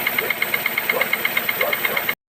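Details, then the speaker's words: Toyota 1SZ-FE engine running: sharp metallic knocks about eight a second, near the timing drive, owner unsure if oil pump or piston; teardown found the number 4 piston scuffed and seized in its bore. "Вон, слышишь звук какой? Тын-тын-тын-тын-тын-тын. Хуй пойми, в районе ГРМ где-то там, блядь. То ли масляный насос, то ли, блядь, поршень, хуй ее знает."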